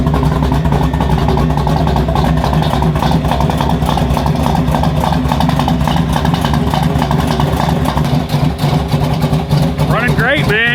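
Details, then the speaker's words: 1985 Chevrolet K20 revived after years sitting in a field, 383 stroker with cam, long-tube Hedman headers into Flowmaster 44 exiting out the side: loud, choppy V8 lope at idle, normal lumpy cammed running. "it uh it is loud dude I've got obviously it's a 383 stroker it's cam you can hear that cam it's a long tube headers headman headers into uh a flow master 44"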